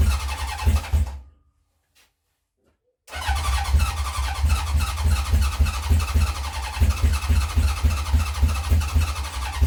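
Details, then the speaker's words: 1970 Honda CB750 K0 four, first run in decades, jump-assisted from a bigger battery: catches, drops out about two seconds, then runs lumpy near four pulses a second; owner thinks it isn't firing on all cylinders; rough running. "I think it's not firing on some of all the cylinders, so we'll see."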